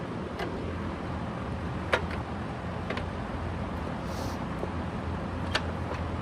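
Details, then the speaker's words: Curb-found Eureka Commercial upright vacuum with a new power cord, new fan replacing the grenaded original, and a new belt. The motor runs with a steady, even hum and no grinding or bearing rumble; healthy. "That sounds really good. I'm definitely happy with this so far."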